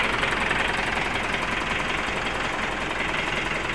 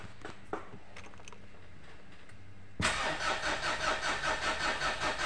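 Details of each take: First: 2010 Mitsubishi Pajero Exceed common-rail diesel after repair of a sudden no-start: now starts easily; even, steady diesel idle clatter, regular beat, no misses, stumbles or air-leak hissing, no air entering the fuel line; normal idle. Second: Mitsubishi Pajero common-rail diesel that suddenly would not start: about three seconds of steady cranking, two to three turns per second, never catches; scan tool shows no rail pressure, suspected leak at injectors, supply pump or rail sensor.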